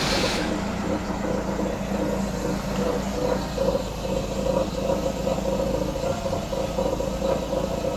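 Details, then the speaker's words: 1989 Citroën CX 2500 GTi, off the road since about 2007: steady even idle with a soft low hum, no knocks or misses; quiet and smooth. "nice quiet engine by the way it's really it's really smooth"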